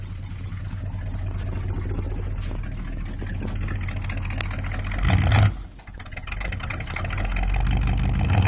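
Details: 1965 Ford F100 with a different 390 V8 fitted and the exhaust leak fixed: deep even idle burble with a smooth rev blip, no ticking or chuffing, much smoother though carb problems remain.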